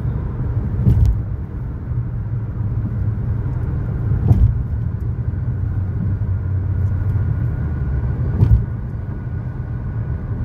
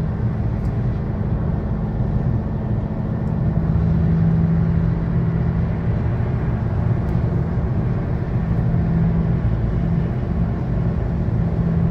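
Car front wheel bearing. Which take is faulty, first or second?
second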